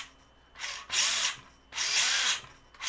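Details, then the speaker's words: Tamiya Fighter Buggy RX #58184 after a fix for its dud first channel: the brushed motor, driven by the ESC in reverse, gives short bursts of faint buzzing whine with each throttle blip. It runs normally. "That means that it's trying to accelerate, and you can hear the motor just faint noise here. Actually, you can hear it. Not that high-pitched whine, not whine, noise."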